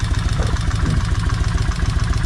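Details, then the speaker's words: Kawasaki Vulcan 1600 V-twin, fourth run: deep lumpy idle with fast light tick over the pulses; valves quieter than first start, one at the very front still clicking; oil change still due. "It's still got one on the very front that's clicking still. But anyway, let's see how it's going to sound. I can still hear this one up here clicking. And it's not as bad as it was the first time this motor was cranked."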